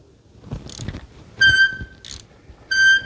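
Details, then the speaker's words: Squeal from tight internal engine bearings on a 1050cc-swapped Yamaha Raptor, turned over by hand via the bolt after removing the one-way bearing: sharp high squeal repeats twice amid light clunks; metal piece found in motor end, suspected rod bearing fragment. "I'm going to be nervous if this thing still makes a noise. I'm not going to lie to you, it is. Oh, no. That's not a good sign."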